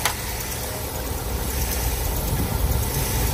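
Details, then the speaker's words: Subaru Forester boxer, high mileage on LPG, just started after months sitting: uneven lumpy idle with visible shake, otherwise running; cylinder misfire, owner suspects burnt valve from LPG, compression test planned, cause unconfirmed. "Το βλέπετε ότι τρέμει. Φαίνεται. Μπερδεύει. Κατά τα άλλα δουλεύει ok."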